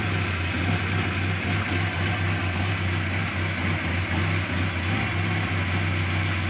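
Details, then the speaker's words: Carbureted engine that was hard to start, sputtering and weak, after the solenoid valve was disabled, the battery charged and the carburetor adjusted: deep, steady idle with even low hum, no stumble or popping; starts easily, normal idle. "[Musik] Oke hasilnya bagus [Musik] hasilnya bagus langsung hidup ya mudah sekali hidupnya"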